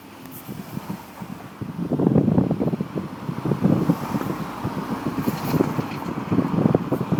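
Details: VW Scirocco 1.4 TSI with 7-speed DSG gearbox, on a bumpy road: a loose, uneven clattering rattle from the gearbox that jumps with each jolt, over road noise.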